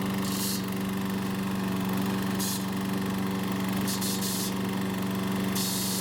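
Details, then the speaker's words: Troy-Bilt mower running with the recoil rope guide held a few inches lower on the handlebar. Steady, even buzz at constant speed with no recoil chatter or rattle; normal running. "secondly it seems to be just enough of a change that it's not going to make that terrible sound"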